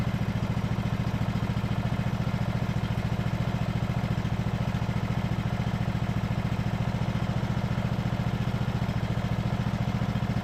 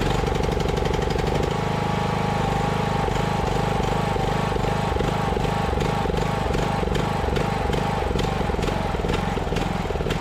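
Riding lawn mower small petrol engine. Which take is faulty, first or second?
second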